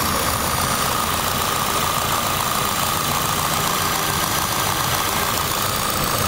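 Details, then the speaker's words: Car idling with whole car vibrating, cover removed: steady airy hiss with whistle tone, seemingly a vacuum leak drawing air on one side near injectors, intake manifold and throttle body. "Tal parece que se oye una fuga de vacío de este lado a esto en México le decimos está chupando aire"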